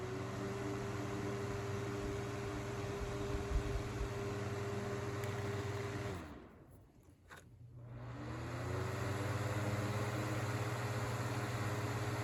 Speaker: So the only difference I think is the older ones tend to run just a little bit faster and they move a little more air.